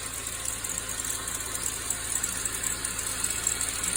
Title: SAAB 9-5 B205E rattling noise from belt/timing chain area